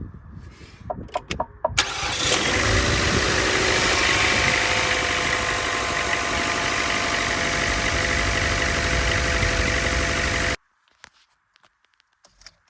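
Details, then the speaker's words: Chevrolet Cruze after timing chain job, purge valve replaced and loose spark plug fixed, cold start: brief crank, catches cleanly to steady even idle, no misfire; brief low oil pressure warning quickly clears. "See, I don't know why on cold start gets a low oil pressure warning, goes away rather quickly. But if you notice there, no misfire."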